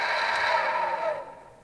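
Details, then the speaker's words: HP Infinium 500 MHz four-channel oscilloscope, hard drive unplugged to isolate noise: harsh scratchy whirr with uneven rasp fading as it winds down; small cooling fan, not hard drive, is rough-running and needs replacing. "sound is is this little fan there and not the hard drive so we have identified the culprit and hopefully we can find a replacement"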